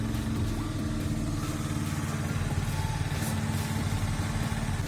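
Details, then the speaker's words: Honda Dio AF62 scooter after valve clearance adjustment (was not pulling and backfiring in exhaust), fully cold: starts very quickly, low steady single-cylinder putter, even and unbroken, no popping or misfire. "это очень быстро заводится мне нравится совсем холодной"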